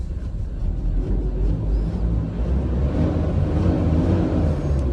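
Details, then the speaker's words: Mazda BT-50 Pro diesel that had a gear warning light and would only rev to 2,000 rpm, after an air leak was repaired and codes cleared: just started, the deep rumble builds evenly and pulls cleanly with no stumbling; normal revving. "เรารู้สึกว่ามันเร่งติดเท้าเรานะลื่นปื๊ดลๆปื๊ดเลยนะฮะ"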